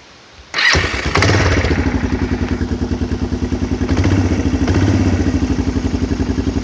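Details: 2001 Kawasaki Lakota 300 Sport, warm engine, after reinstalling refilled and recharged battery (choke cable seized): brief crank, catches at once and settles into an even, steady single-cylinder idle; starts and runs healthy.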